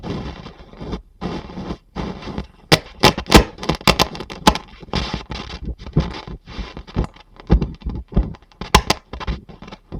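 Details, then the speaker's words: Project vacuum-tube amplifier bought for restoration, first power-up: passes audio but irregular sharp crackles and scratchy bursts come and go through the output, very crackly and poor; stiff potentiometers noted, cause not confirmed. "it's passing audio that's unbelievable very crackly very poor"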